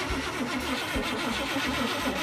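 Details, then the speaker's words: 1987 GM one-ton dually truck: starter churns the engine over at an even rhythm with good compression and spark, but it never catches; no fuel suspected, fuel system to be tested next. ">> All right. Ain't got no fuel. >> It seems to have the compression, though."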